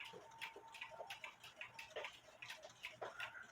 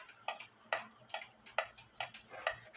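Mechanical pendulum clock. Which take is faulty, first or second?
first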